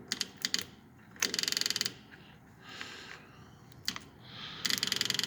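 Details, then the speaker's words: Long-stalled Dodge wagon, just unseized, plug wires redone, no coolant, key on before first start: short bursts of quick light ticking; normal electric fuel pump priming. "And let's set our fuel pump on. Hear it?"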